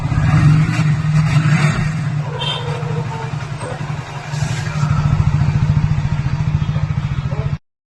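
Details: Hero Splendor bike after a loose part under the cover plate was tightened to cure a tik-tik noise. The single-cylinder idle is an even putt of about 3–4 beats a second with no ticking: repaired, valve train quiet.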